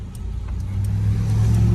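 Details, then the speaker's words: 1980 Chevrolet Malibu that stalled when pulling off from lights. After carburetor tuning the deep drone climbs steadily under acceleration with no stumble or hesitation, running smoothly with more power. Normal acceleration. "It's running very smooth. It feels like it got twice as much power as it used to."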